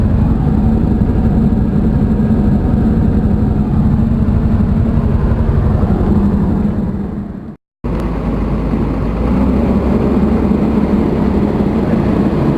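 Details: Komatsu diesel with low power, high vibration and white smoke: rough heavy clatter with hard uneven rapping over idle; engine knocking, cause unknown.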